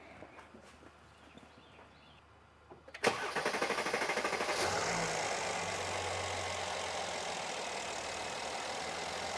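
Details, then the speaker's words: 2017 Mercedes GLS 450 3.0L, codes P0016/P0011: starter clicks and churns steadily about three times a second before catching and settling; long crank, scope on crank sensor signal shows failing crank sensor. "Oh, I see a problem. Check this out. Okay. Uh, hold on. We have a failing We have a failing crank sensor."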